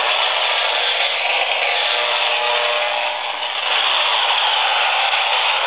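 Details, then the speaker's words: AM radio held near a laptop as it boots to its startup screen: dense steady hiss and buzz that shifts during boot; electromagnetic interference from the computer, reaching about 4 ft from the machine. "and the computer has reached its startup screen it's very very noisy and that noise is extending out of this machine by about 4 ft"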